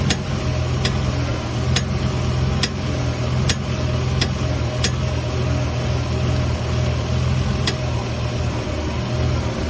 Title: Lexus is300 popping noise when turning wheel